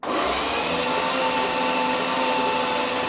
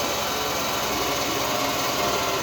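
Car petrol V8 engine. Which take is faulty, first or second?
second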